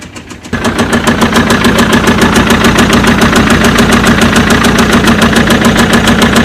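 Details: BMW engine catching and settling into idle with a sharp, steady tapping about three per second over the running note; abnormal knock, source unknown.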